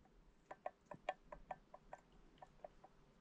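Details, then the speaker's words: 2002 Yamaha YZ 125 two-stroke engine torn down, crank used through about three pistons; sharp irregular metallic clicks as the connecting rod is rocked up and down by hand, showing worn big-end bearing play. "góra dół luz powiem wam Pierwszy raz się spotkałem że wyczaiłem góra dół luz"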